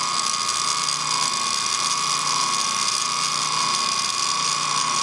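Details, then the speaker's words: Antique ring-oiled Wagner 2hp electric motor from a 14-inch saw, started after cleanup of the brush end, runs well but a bearing is shot; high gritty ratcheting whir over steady hum with constant ringing tone. "We're going to start it up and show the mechanics of the starting and then the disconnecting of the brushes. It runs well. But this bearing is shot."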